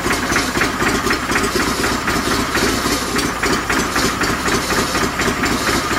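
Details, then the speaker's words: 49-year-old John Deere 318 garden tractor after sitting, old gas evaporated: small engine popping about four times a second, uneven and straining, running on fuel squirted from a bottle until the line primes; fuel starvation sputter. "We got a little squirt bottle and now we can kind of get down in there. Let's see if we can keep it running till it primes itself."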